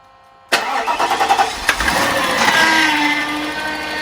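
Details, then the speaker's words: Mercedes W140 with a massive power steering leak, just started: the engine settles and a thin rising whine rides over it. The power steering pump is whining from running without fluid. "that's just the power steering pump because it's had no liquid in it so it actually has a massive power steering leak"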